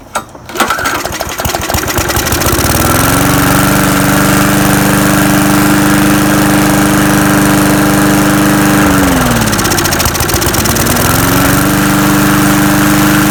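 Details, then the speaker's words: Murray lawn mower restarting after fresh gas and carb cleaner added directly to the carburetor: catches, sags and nearly dies mid-run, then picks back up; stumbling from water-contaminated bad gas, takes a while before running normally again. "so uh back to normal now it was just that bad gas it really took a while to get back running"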